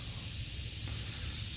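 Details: 2006 Honda Odyssey flat tire: with the valve cap off, a steady, sharp hiss of escaping air with no rhythm is heard; the leak is at the tire valve core.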